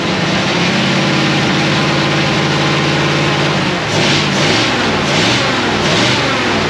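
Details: 1937 Ford with a 59AB flathead V8 and full dual exhaust, on a hot, humid ~80°F day. It runs after a failed new condenser was swapped for an old one. Steady, even idle with clean pickup on light blips; it fires on all cylinders.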